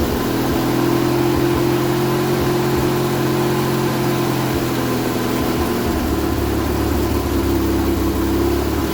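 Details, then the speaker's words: Vauxhall Viva HC barn find: catches and runs at low steady idle only on fuel fed by hand into the carb; not enough fuel reaching carb, owner suspects the filter, before repair. "so what's the problem not enough fuel going up"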